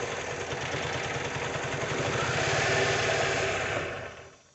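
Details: 2002 Mazda MX-5 Miata NB 1.8: rough uneven beat with stumbling pulse as two cylinders misfire; ECU coil driver outputs battery voltage on the trigger wire instead of switching, likely taken out by a failed coil.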